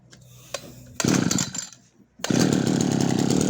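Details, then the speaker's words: Yanmar (Kyoritsu) 209D small two-stroke: it restarts once the flooding clears, with no choke. It catches after a few sputters and settles into a steady buzzing idle with slight firing unevenness, which is normal for its single-cylinder firing. "โอเคมันก็จะติดได้แล้วะนะครับแล้วมันก็นิ่งด้วยมครับนิ่งหมายถึงรอบนิ่งนะครับไม่ใช่อาการเครื่องนะเครื่องมันกระโดดันนี้เป็นปกติอยู่แล้วเพราะมันมีการจุดระเบิดของลูกตูกนะครับ"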